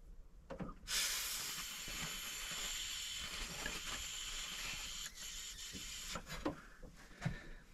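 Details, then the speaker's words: Suzuki F6A DOHC turbo (Autozam AZ-1/Cara) air bypass valve solenoid, coil reading 38 ohms within spec, blow test into port A out port C: steady breathy hiss as air flows freely; passage open and working. "okay the napkin's not gonna help but you can hear the air okay so that that part Works"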